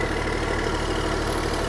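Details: Long-neglected small diesel excavator: a steady, even, deep idle with no knocks or misses. The engine runs healthy, but the throttle and hydraulics don't work, perhaps because of the safety switch.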